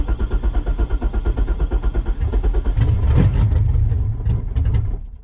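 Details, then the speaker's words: Project Corvette engine that probably had ID2000 injectors but now has LS3 injectors: lumpy, uneven chugging about three pulses a second, brief flare, then fades and stalls; won't run or idle with mismatched injectors. "obviously it had ID 2000s in it, I think, when I sold it, and now they got the LS3 injector, so it does not want to run, it doesn't want to idle."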